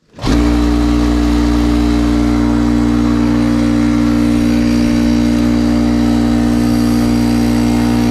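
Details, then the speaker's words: 20+-year-old Craftsman 6 hp 30-gallon air compressor after rebuild: steady motor hum and even pumping drone, no knocking, air coming out, building pressure to 75 psi and getting hot. "i hear air coming out of here so that's a start well pretty sure it worked let me let this run and build up pressure and we'll know in a minute"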